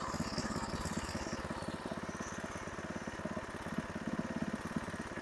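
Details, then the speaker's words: Briggs & Stratton 5 HP horizontal-shaft engine on a Craftsman tiller, fitted with a second new fixed-jet replacement carburetor after pulsing: now a steady, even putter with no surging or pulsing; running smoothly. "that sounds pretty good well as you can see we don't have any pulsing now"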